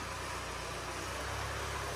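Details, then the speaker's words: Range Rover Evoque Ingenium diesel, failed engine being repaired and timing marks reset, at idle: a steady diesel clatter with a fast, even rattle underneath from a stretched timing chain. "it goes backwards such a shame it's got a stretched kind guys isn't it"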